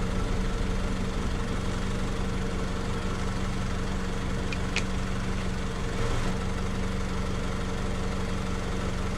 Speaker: so we're sitting here idling now after it revved up it's 14.6 14.61 so I think that's good seems like the alternator is doing its job